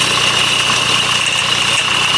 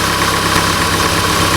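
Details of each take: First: 2008 Honda CR-V 2.2 i-CTDi diesel at idle: thin high steady scream over diesel clatter near the alternator, not belt slip; failing alternator freewheel overrunning clutch pulley, fixed by replacing it (OEM 31141-RBD-E02). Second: 2008 Honda CR-V 2.2 i-CTDi diesel at idle after the alternator freewheel clutch pulley was replaced: smooth, even, steady hum with the earlier high-pitched scream gone; normal idle.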